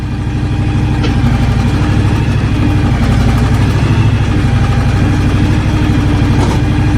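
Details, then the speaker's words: John Deere X724 tractor with 54" snow blower, restarted and not yet warmed up; steady, even low rumble with smooth firing beat, no knocks or misses; normal cold idle. "i'll start this thing up one more time and you guys can watch it move around a little bit one more time to please yeah yeah she's not warmed up yet"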